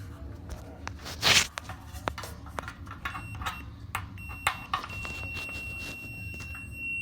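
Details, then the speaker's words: Samsung dryer not drying clothes, Fluke meter on the thermostat: steady high unbroken continuity tone after handling clicks; thermostat good, heating element coil later found open and replaced. "as you hear the beat that's continuity on this thermostat so i like the beat on the fluke for the continuity"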